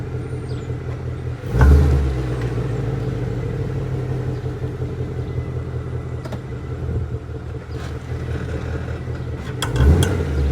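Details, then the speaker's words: 2017 Ford Mustang GT V8 at idle, shifting gear: two sharp driveline clunks and light ticks; worn half shaft thrust washer behind hub bearing, persisted after wheel bearing replacement, fixed by replacing washer. "that right there you had to have been able to hear that that ticking and clunking that's apparently this thrust washer"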